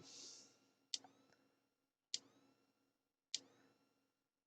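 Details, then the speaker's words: Thunderbird TB10 portable battery-powered strip-grazer electric fence energiser on the bench, reading about 2.4–2.6 kV on short wire with a separate earth: crisp even clicks about every 1.2 s; working, though not powerful. "we'll call this going okay and it's not the most powerful one in the world but it is working"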